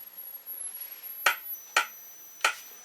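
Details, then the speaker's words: 1956/57 Hotpoint 17S301 tube TV, brightness up, 12kV final anode present but no raster (CRT believed shot despite testing good): faint thin very high whine behind sharp clicks; flyback high-voltage whine present. "I can hear the high voltage back there. You can hear it whining."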